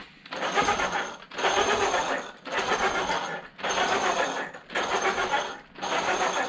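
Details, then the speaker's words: Traxxas X-Maxx/XRT drivetrain after shimming with washers to set gear mesh: repeated one-second spin-ups with gritty, rasping gear noise; cush drive and shaft already replaced, owner suspects the gear, unconfirmed. "you can hear the gear noise so the only thing that I really accomplished was the washer deals"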